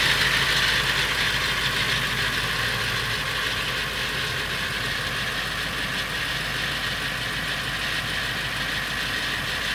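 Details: Late 1999 Ford F350, 7.3L Powerstroke diesel at idle: steady clatter with a metallic rattle on each beat, about three per second; noise more pronounced under the truck; source unknown, owner wonders flexplate or engine.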